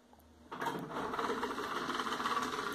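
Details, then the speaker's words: LG LM-U1350A stereo CD mechanism after cleaning: a small motor starts with a buzzy, chattering whir as the tray mechanism runs, though the CD plays fine; a poorly lubricated gear is suspected. "Esse barulhinho na mecânica ficou, galerinha, porque provavelmente alguma engrenagem da mecânica deve ter sido mal lubrificada."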